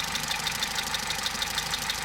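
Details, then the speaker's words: Opel Meriva 1.4 Ecotec petrol at about 236,000 km, idling: sharp, even diesel-like ticking, about six per second, from carbon-fouled intake manifold swirl flaps chattering. It is not the timing chain, which was recently replaced and checked for tension. "Apparently all of these engines have that after certain kilometers put into them. It is annoying, that ticking sound, but as long as these arms don't break off and you'll always get them moving, then you will get your power."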